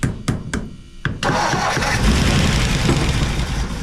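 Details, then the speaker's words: Abandoned 1957 Ford Fairlane 500 with 312 V8, run with one valve stuck open: a few cranking thumps, then it catches with a lumpy uneven idle; engine running on seven cylinders. "oh all right y' we were going to try to put that valve in but we're thinking better of it let's run her on seven"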